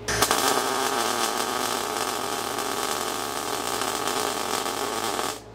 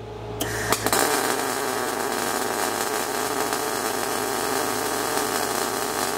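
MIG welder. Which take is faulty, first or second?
second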